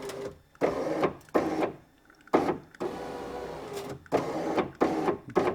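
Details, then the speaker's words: Vauxhall/Opel Corsa D door window after smashed glass and regulator replacement: motor whirs in short up-down runs with rough dragging scrape; suspected leftover glass in the channel or dislodged rubber at the bottom, channels may need lubricating. Power window scraping noise. "we might have to run a bit of juice at these channels just to lube it up a bit that sounded like glass"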